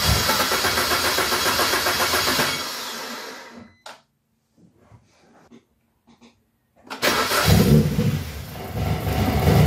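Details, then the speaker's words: BMW 116i E87 N45B16 race car build, first start after about six months, some smoke possibly oil burning off the manifold: engine revs in bursts with a tinny metallic exhaust rattle, an exhaust clearance problem. "so um the exhaust is rattling which was my concern um i can hear it rattling a lot inside so i'm gonna have to figure that out"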